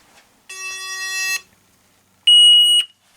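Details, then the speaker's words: Alertek i8005 fire alarm panel: brief buzzy tone, pause, then a sharp beep as a smoked-out detector trips pre-signal. Power to the detector is cut for 30 seconds to verify; a second activation means alarm, otherwise the panel self-resets. "pre- Signal has been activated and what that does is it cuts the power to the detector as you can see and then Waits 30 seconds"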